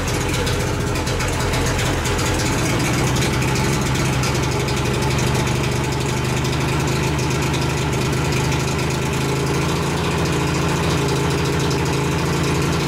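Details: 1988 Mercury 70 hp three-cylinder two-stroke outboard, first start in years with choke: a steady, even, throaty idle with no misses or knocks; it runs cleanly, though gas later leaks from the middle carburetor.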